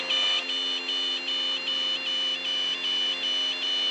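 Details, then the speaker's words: Multi-engine training aircraft during practice approach to stall; steady high beep pulsing about 2.5 times a second as the stall warning horn sounds, followed by recovery with nose down, full power, gear up. "As soon as you hear that stall horn, recover. There it is, nose down, Nose full down."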